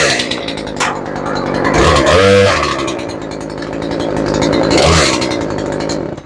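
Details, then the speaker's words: 18-inch Craftsman chainsaw, previously would not start, after repair: crisp two-stroke buzz revs up and settles back twice, picking up cleanly without stumbling or bogging; saw running healthy. "yep she's completely functional it's definitely not the prettiest chainsaw I've ever seen but she runs pretty good and she sounds good now she starts good"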